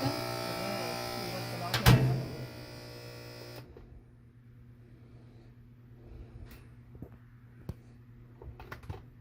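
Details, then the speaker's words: Washer on drain and spin: steady low buzzing hum for about three and a half seconds, then cuts off leaving faint clicks; technician suspects the motor or transmission, not confirmed. "so i'm trying to drain and spin i'm hearing some kind of noise like this one"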